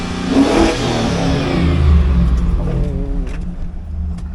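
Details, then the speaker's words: Hail-damaged 2004 Chevrolet SSR with 5.3L LM4 V8, about 79,863 miles, automatic, sat for a while: deep even V8 burble climbing smoothly with each throttle blip and settling cleanly, no knocks or ticks; healthy running. "So runs good, sounds good, everything else is okay, which is fine by me."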